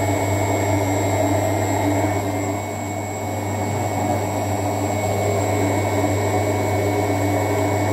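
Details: LUX front-load washer, drum previously not turning on wash or spin; after a hex bolt was tightened, steady low hum with even whir, no knocking or scraping; drum turning smoothly on its belt.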